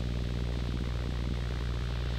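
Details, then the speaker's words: Rode NTG microphone powered over USB from a USB Type-A charger, with output over an analog cable: constant loud hiss with a low electrical hum underneath, electronic and ground-loop noise from the USB power supply. "all right now I'm connected to another USB uh this is type A over here but it brought a lot of noise we can see it immediately"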